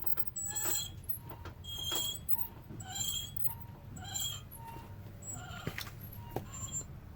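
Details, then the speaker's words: High, pulsing squeal about once a second over low road rumble as a car's brake pad wear-indicator tab rubs the rotor, warning the pads are very low and should be replaced. "If you replace your brake pads when you hear this noise, it's a pretty good chance you will catch it before the brake pad material is fully gone. This tab warns you that your brake pads are really low and should be replaced."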